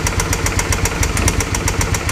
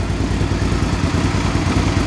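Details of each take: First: Original 39,000-mile engine of a 2005 Suzuki V-Strom 650, started on jumper cables with the oil never checked: sharp knocks about four a second over a rough idle, a heavy lower-end rap. Rod knock, later fixed by an engine replacement. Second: 2005 Suzuki V-Strom 650 after engine swap (original had rod knock), very low mileage replacement engine, Scorpion muffler fitted: V-twin revving cleanly with even, deep throbbing beat, no knocks or rattles; normal running.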